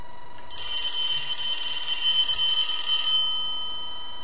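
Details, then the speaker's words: Elephant brass telephone, part 4 of an ongoing repair and redesign: a bright, even metallic bell ring lasting about three seconds while the board is held and rung, with AC ring voltage on the bell circuit. Normal ringing. "but when you see me holding the board like this and ringing it i want to hang up the phone"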